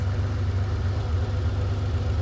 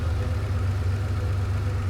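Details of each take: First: Ferrari 512BBi flat-12, idle mixture being set at one carburetor's adjustment screw: low idle with slight uneven hunting, engine not settled; rough idle from lean mixture, smooths out once corrected. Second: Ferrari 512 BBi engine idling after carburettor mixture adjustment; it was hunting and rough before, now a deep, even idle with a steady low beat, revs up 25–30 rpm, smoothing when the adjustment hole is covered: normal idle.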